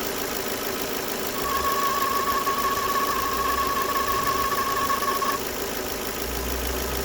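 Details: 2009 Ford Fiesta 1.4 Zetec petrol at idle: a steady high whine near one kilohertz over an even idle, seeming to come from around the alternator; cause suspected, not confirmed.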